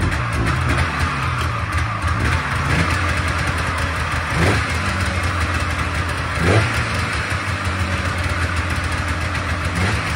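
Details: Polaris Trans Sport snowmobile two-stroke, unused for 10 years, just restarted on choke after fuel-system work and plug cleaning: a rough, busy rattle holding a steady fast idle; running on its own again.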